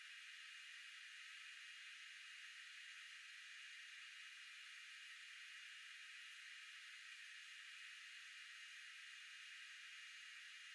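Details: Constant, even high hiss with no low end or rhythm from the back of the refrigerator (condenser area) while the compressor runs, high-frequency filter on. Food was freezing on the recommended setting. The owner suspects the breaker box is overexerting it; cause not confirmed.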